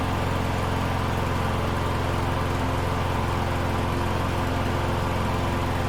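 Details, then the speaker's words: Troy-Bilt TB110 push mower, Briggs & Stratton 550EX single-cylinder, not run for months, started after fuel system work; steady, low, even beat with no misses or knocks, idle rpm slightly low. Normal running. "sweet that was all it took right there uh you guys could hear the rpms are a little bit low"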